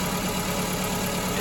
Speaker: right let me actually start the car and we'll see and feel the dead Miss yeah she's shaking like a right